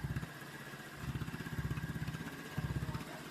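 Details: Honda Vario 125/150-type scooter engine after rebuild and reassembly, first start with radiator open to check coolant circulation; steady low putter at idle, even beats, no knocks, ticks or skipped firings, slightly loud racing exhaust; runs smoothly.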